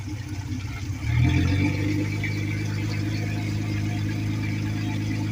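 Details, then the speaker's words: Suzuki 4-stroke 250 outboard at a boat yard, rebuilt with new head gaskets, first start-up: cranks and catches at about one second, then settles into a steady, even low idle throb with no obvious knocking. "My main man Anthony rebuilding a Suzuki 4-stroke 250, new head gaskets. I'm about to start it up."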